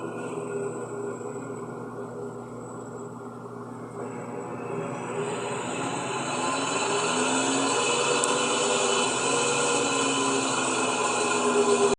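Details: Electrolux LES11 washing machine in spin cycle: loud motor whine climbs steadily in pitch and volume as the drum spins up, with much more motor noise than normal.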